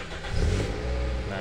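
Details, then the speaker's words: Toyota Altis with long cold cranking complaint, fuel pump activating only on crank: engine catches and settles into a steady, even idle with a smooth low rumble, no misses or knocks; it sounds healthy, left to warm up. "itu ya teman-teman Ini mesinnya sudah hidup kita biarkan panas dulu"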